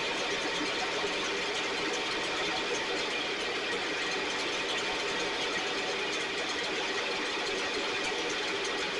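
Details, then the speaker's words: STIHL backpack blower (believed 6R450), after cleaning and repair; idle previously fluctuated and couldn't be adjusted. Steady high-pitched two-stroke roar at even speed, no surging or dropouts; running much better, still loading up slightly, internal carbon buildup suspected. "All right, it's it's running much better. Uh, it's still uh loading up a little bit and I think it may be because of carbon buildup on side inside of it."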